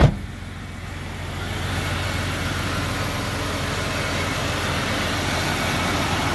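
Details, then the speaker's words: Police-model Jeep Cherokee XJ just started after six months, cold day, new crankshaft position sensor fitted: smooth, steady idle with even rhythm, no stumbling or ticking; healthy. "yahoo yahoo wow burn like a kitten smell the gas oh that's great news great news"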